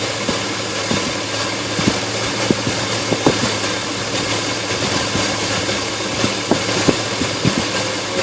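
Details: Engine at a steady idle with uneven, irregular ticks and small stumbles scattered through it; running rough, cause not clear.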